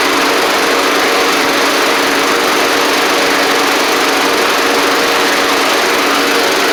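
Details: Troy-Bilt Pony mower with swapped-in Briggs & Stratton flathead (replacing Powermore; new Briggs carburetor, 12.5hp air filter), final test with hood back on and fresh oil: strong, even buzz at steady high speed, no misses, knocks or surging; normal running.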